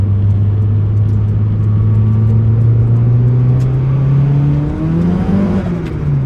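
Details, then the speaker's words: Budget Evo with SOHC 4G93 turbo engine, custom turbo manifold and new Maxpeedingrods turbo, driving under boost: steady drone, then revs flare and climb without matching pull as the already-slipping clutch slips under boost. "listen to that clutch slip sounds so good now though the new turbo so much more responsive that is just fantastic"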